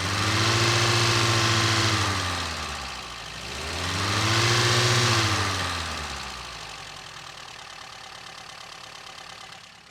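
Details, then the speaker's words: 1953 Sunbeam Alpine Mk 1, restored, microphone in the engine bay: smooth running that revs gently up and down twice then settles, no ignition cutout, bottom-end noise or exhaust leaks. Normal idle and revving, healthy. "Idles nicely, seems unfussy, revs well, no ignition cutout, no strange noises from the bottom end or exhaust leaks or anything else that I can detect, and all appears to be pretty healthy."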